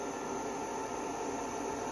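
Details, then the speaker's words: Blaupunkt air cooler running on setting 3 with ice and water in the top tank: steady even airy rush with a faint thin high whine, no knocks or rattles; fan running normally. "This has got a bit of a whine to it, if you can hear that."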